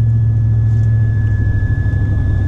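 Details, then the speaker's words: 2004 Silverado with a new roof-mounted 50-inch curved LED light bar, driving at about 30 mph. A steady high-pitched whistle over low road rumble; pitch changes with speed from 30 to 50 mph. Wind is whistling across the light bar. "It's that very high-pitched, just wee noise. it changes tone and frequency as the velocity of the wind obviously changes as you're driving quicker."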